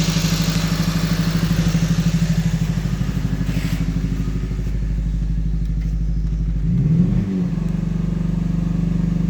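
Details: 2012 Honda Civic Si at high idle with an uneven stumbling beat: scanner shows misfire on all 4 cylinders, but the scope shows only cylinder 4's injector is not being fired, at high RPM only; ECM needs replacing.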